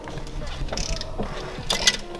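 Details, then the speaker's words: Toyota Celica GT-Four sitting 18 years, engine turned slowly by hand before first start: irregular metallic clicking and ratcheting like a chain; chain-like rattle, cause not yet known. "yeah like changing you in a chain in a machine yeah weird isn't it"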